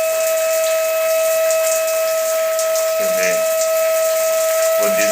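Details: Shower: a loud, steady high whistle at one pitch over running water, coming and going. A worn rubber washer in the valve is the cause.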